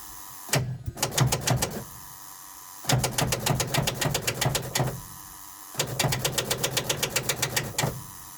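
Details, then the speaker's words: Old truck sitting 2–3 years, cold start at +1° after snow on bad batteries, no starting fluid: three sluggish uneven cranking bursts about four beats a second, never catches; engine turns over by hand, weak batteries/starter. "I was able to push the fan over, so the engine does turn over."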